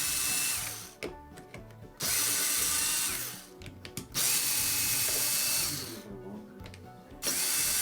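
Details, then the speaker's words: Wahl Lister Stablemate livestock clipper, customer reports it is loud: switched on and off in bursts, harsh high-pitched buzzing grind; worn cam bearing and gear, to be replaced. "well done that sounds good I'm gonna ship it back no I'm just kidding that sounds horrible"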